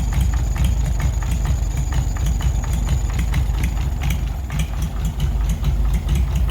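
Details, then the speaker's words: 1940s Oliver 70 tractor first start in about 12 years; slow lumpy idle with dropped beats from an obvious misfire, one cylinder not firing with occasional smoke puffs; very old plug wires, points and condenser suspected, carburetor tuning to follow. "but I think once we figure out the misfire then we'll be able to tune the carburetor because it seems like it's running okay"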